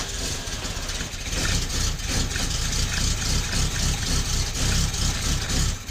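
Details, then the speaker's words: 1972 Fiat 850 Sport Spider after fitting a Fiat 127 alternator: lumpy, sagging idle that wants to die; idle speed set too low, adjusted via the ignition timing. "is you can hear and see it wanting to die means it's too much means the engine is too much the idle's too low because you set your idle speed with your timing"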